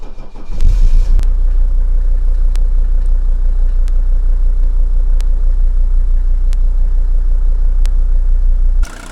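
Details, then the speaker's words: 1980 Mercedes W123 300D five-cylinder diesel, probably parked about an hour, started without glow wait: brief crank, catches almost instantly, settles to smooth even low idle, no misses or knocks; strong compression, virtually no blow-by. "If you've been around diesels, just listen to this baby purr. Listen to that strong ignition and note the lack of vibration."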